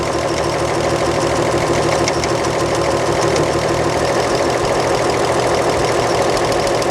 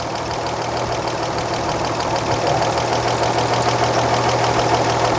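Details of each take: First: 1938 Chevrolet coupe six, warm and running during valve adjustment, exhaust lash set to 0.014 in; even tappet tick about three a second, no loud clatter, steady speed; valve lash properly set. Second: 1938 Chevrolet coupe inline-six, running during valve adjustment: steady idle with a light, quick ticking about three times a second; intake valve lash checked with a 0.007 in feeler gauge and found too loose.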